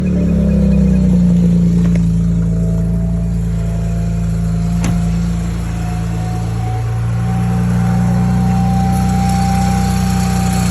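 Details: BMW N54 petrol engine at start-up settling to idle: steady high whine over the rumble with a faint rattle underneath.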